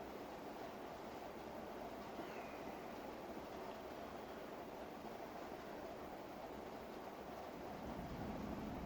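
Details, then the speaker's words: Antique Robbins & Myers Type H ceiling fan run at 100% speed via Alexa: a quiet, even airy whoosh with no knocks, ticks or grinding, only slightly louder than at 50%, so it runs normally at full speed. "So there's the difference. I could hear it, I can feel it, but it's not huge, the difference between 50 and 100."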